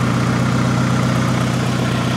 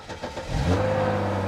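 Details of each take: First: 2011 Hyundai Genesis Coupe idling, heard near the tailpipe: a steady, slightly uneven idle with faint puffing under the rumble. A small exhaust leak is suspected, probably a cracked or breaking flex pipe, not confirmed. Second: Salvage 2011 Hyundai Genesis Coupe, jump-started: starter churns briefly, then the engine catches cleanly and settles into a steady, even idle with no knocks or misses; normal start and idle.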